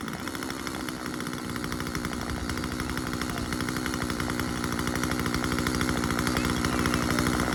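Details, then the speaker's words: Husqvarna 136 chainsaw cutting, after carburetor cleaning and low-speed adjustment: fast even two-stroke buzz that steadies and gains strength in the cut, no misses; running clean. "Well, there you go. Um we got Rhyne Ray Digger's chainsaw up and running."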